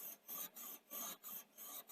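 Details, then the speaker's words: Sanyo VTC5000 Betamax VCR, long exposed to damp, head drum turned by hand before power-up: dry rasping scrape about three times a second, drag that pressing down partly relieves; damp suspected as the cause, not confirmed. "i just thought i'd just turn the heads and you can hear we've got some"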